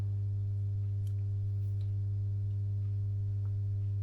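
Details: Masco M25N valve amp, poorly re-capped, on 200 W current-limiter bulb (bulbs dim, no excessive current): loud steady low buzzy hum, no signal; mains hum from insufficient filter capacitance.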